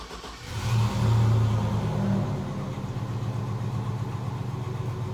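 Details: 2001 Chevy Suburban V8 after fuel pump replacement, was cranking but not starting: catches and flares on a short rev, then settles into a steady low rumbling idle; starts and runs normally.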